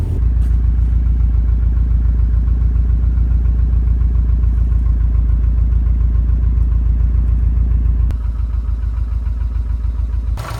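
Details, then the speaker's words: Subaru STI after engine rebuild, shortly after first start: steady, even idle with a smooth low pulse and no knocking or tapping; healthy, though a squeaking belt needing tightening and a front noise suspected from the power steering pump are noted. "All right, well, all is well. She runs pretty freaking decent."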